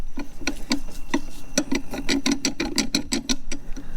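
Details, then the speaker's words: Sea-Doo jet ski drive shaft spun by hand: uneven scraping clicks about three a second, shaft feels very loose; grinding drive shaft, cause not confirmed. "Now, talking about what's wrong, it is this little shaft thing. I can spin it free-handed right here. You can hear it grinding too."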